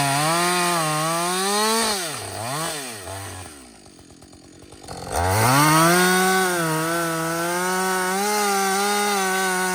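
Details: Husqvarna 562XP 60cc chainsaw, reflashed by the shop after dying when hot, not starting and stumbling, bucking dead windfall about two-thirds into a tank: strong steady two-stroke howl in the cut, briefly drops to clean idle and picks straight back up; running healthy.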